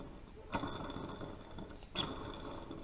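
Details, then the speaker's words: John Deere 38-inch walk-behind mower idler pulley, spun by hand during winter maintenance with the deck apart: gritty, rattling whirr with sharp clicks. The pulley bearing is bad and needs replacing; most of the other pulleys are quiet. "bearing is bad. That pulley's bad. It needs to be replaced."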